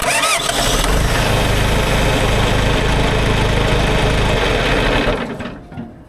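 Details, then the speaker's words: John Deere 410 backhoe diesel with newly installed replacement starter: quick even cranking nearly four turns a second, no drag; starter spinning engine strongly. "That's some fast cranking,"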